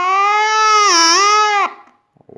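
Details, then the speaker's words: Water-damaged Panasonic RF-562 battery portable radio, first switch-on after resistor and jumper replacement and reassembly: a loud, wavering howl bends in pitch for over a second before cutting out. The amplifier circuit is faulty; the capacitors were found leaky or out of spec. "we have we have something wrong in the amplifier circuit yeah so I will have to did disassemble it once again"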